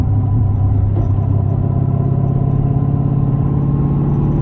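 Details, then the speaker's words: Twin turbo Hellcat with a new 2000 HP dog box transmission replacing the Tremec helical gear set, cruising in traffic: steady low gear whine over road rumble, louder than the helical gears but not straight-cut loud; normal dog box. "One thing I do notice though, it is definitely more gear wind than what it was before. So the Tremec gear set, the helical gear had a lot more angle on it, a lot more angle cut on it. So that makes it quieter. This is definitely louder. Like I can hear the transmission."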